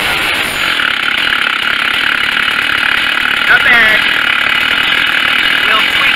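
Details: Stihl chainsaw after carburetor, ignition coil and spark plug replacement, test run: steady high-pitched two-stroke buzz at even pitch, no stumbling or surging; normal running.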